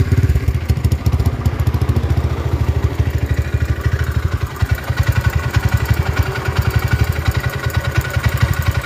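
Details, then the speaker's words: Honda GL single-cylinder motorcycle, about 70 overbore, idling: revs drift up and down by themselves and won't stabilise; surging idle, cause not yet diagnosed. "Nah kalau kita dengarkan suaranya nahah lonjak-lonjak ke sendiri keceil sendiri"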